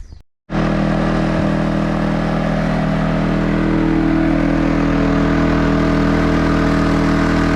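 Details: Champion 4500-watt dual-fuel inverter generator after a temporary pull-start cord repair: after a short silence it starts smoothly and holds a steady, even drone with constant tone, no surging; healthy running.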